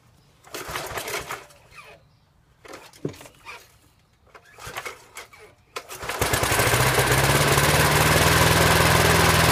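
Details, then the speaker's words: 1988 Snapper push mower neglected nearly two years, probably first start in over 1.5 years with gas added, after a few rope pulls. It catches and runs loud but hunts a little; the carburetor needs cleaning again, rough running after storage. "all right well looks like it started but doesn't need a little bit more help in the carburetor area"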